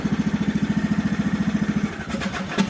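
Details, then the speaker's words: 1998 riding lawn mower, Briggs & Stratton Vanguard vertical-shaft twin, over 25 years old, after starter replacement; battery possibly weak. Steady cranking at about eleven even pulses per second, then catches and runs; new starter turns it over cleanly. "Not bad for a lawnmower. It's more than 25 years old, huh?"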